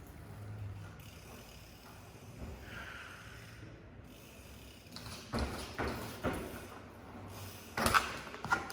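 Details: Brand-new Rockshox ZEB Ultimate 29in 170mm fork on a Commencal Meta AM 2021, after two rides, bolts checked tight, brakes ruled out: several short rough creaks as the fork is loaded forward; cause not found.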